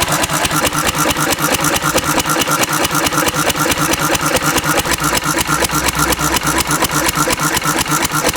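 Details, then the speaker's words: Antique Cushman Cub 3 hp four-stroke throttle-governed stationary engine running on about 90% Zippo lighter fluid: even, steady chugging with regular firing beats, no skips or sputter; runs normally. "I'm going to flood it and see but it runs just fine"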